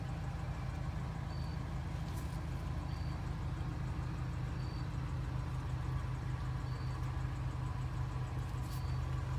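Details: 1980 Toyota Pickup 20R four-cylinder started right after an oil change with about 4 quarts added: steady, low, even idle rumble, no knocks or misses; idling smoothly and healthy.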